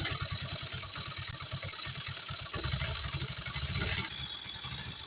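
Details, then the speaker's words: Yamaha GT125i scooter that burns oil, starts hard, lacks power and is noisy: loud, clattery single-cylinder idle with fast even tapping. "คันนี้ครับมีอาการเครื่องเครื่องหลวมครับกินน้ำมันเครื่องแล้วก็มีเสียงดังเนื่องจากฝาสูบกับชำนิ้วเดียวหลวมครับ"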